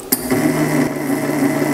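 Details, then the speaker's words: 600 W surplus e-scooter brushless DC motor fitted to a Harbor Freight mini mill via belt drive kit, at very low speed: steady hum with a faint wavering, stepping buzz; normal magnet cogging. "can you hear the cogging sound anyone who rides an e-bike or an e-scooter will know that sound if you're running really slow you hear this weird cogging sound because the magnets and the rotors inside there to kind of step along"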